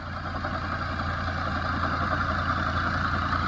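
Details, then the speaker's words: 2011 Tata Vista diesel, 124,000 km, idle with belt-driven accessories and hydraulic power steering: steady rumble with faint steady whir; accessory bearing noise from AC compressor and water pump, to be isolated by removing drive belt. "Water pump, இன்னொன்று வந்து பார்த்திங்கன்னா power sharing pump, இதெல்லாம் வந்து பார்த்திங்கன்னா இந்த இன்ஜினில் belt drive தான் வரும். இதனால் கூட வந்து பார்த்திங்கன்னா அப்நார்மல் நாய்ஸ் வரும்."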